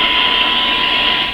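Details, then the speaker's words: Grundig Satellit Professional 650 on shortwave, fed a 1 kHz test tone: the faint tone is nearly buried in loud even hiss, not enough signal reaching the radio; cause of weak shortwave reception not yet found. "why isn't this just a nice clear tone you can hear the tone in amongst all this hiss not enough signal coming to the radio"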